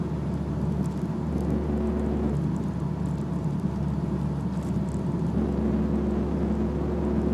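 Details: BMW E46 while driving: steady low drone with faint higher tone over road noise; suspected propshaft (long shaft) hum, not confirmed.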